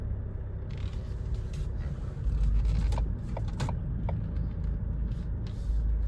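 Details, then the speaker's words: Ford Kuga AWD, moving off in first gear with ABS light on, before "AWD overheated, temporarily disabled" warning: heavy low rumble with irregular scraping chirps, bad vibration, rear wheels skidding, barely drivable; suspected driveline binding causing tyre scrub and hop, sensor replacement planned. "Real bad vibration. I can hear the rear wheels skidding. It's almost undrivable."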